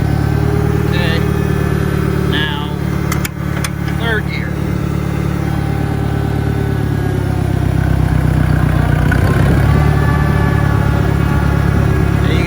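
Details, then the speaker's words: 1963 John Deere 1010 tractor, original and properly maintained, at 1,000 rpm on a backyard lap; steady low drone with a faint, even gear hum, no knocks or grinding; normal gear transmission noise. "just start to hear a little bit of transmission noise"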